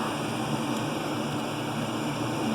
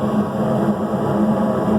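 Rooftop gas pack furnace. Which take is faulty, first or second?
first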